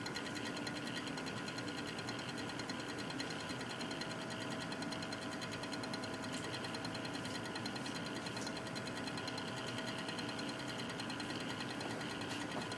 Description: Weird Cooler Master Real Power Pro 550w making tick noises